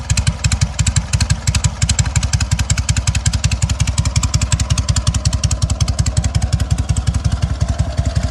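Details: Sokół 1000 motorcycle after a full rebuild (patina exterior, 12V generator fitted), only briefly prewarmed. Steady, even exhaust thumps about seven a second with no knocks, whine or misses; the rebuilt engine runs smoothly, normal running.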